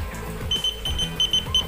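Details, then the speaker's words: SPY smart car alarm with start-stop engine and two-way remote, locking with a door not fully shut: quick series of high, sharp chirps in short clusters from the alarm module warning the door is ajar. "fitur misalnya kita mengunci mobil tapi pintunya belum tertutup rapat ya saya akan kunci di sini nanti dia akan ada bunyi peringatan di modulnya ini memperingatkan"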